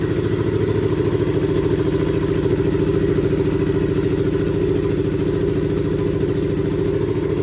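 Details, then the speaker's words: Budget turbo Hayabusa build, first start, fuel pressure just above 3 bar: rough, lumpy idle with an uneven beat and a missing pulse each cycle; one cylinder dead, traced to faulty spark plugs. "Sounds like we've got a dead block."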